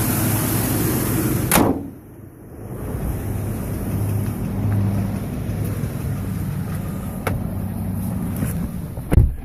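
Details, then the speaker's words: 2011 Chevy Silverado 5.3L, 126,000 km, hard start after sitting 8 hours, valve cover with built-in PCV recently replaced; lumpy idle sagging and surging, nearly dying, uneven thumping with faint tick, cause unclear: rough idle. "She's idling rough now too. Oh boy. Seems like it wants to die."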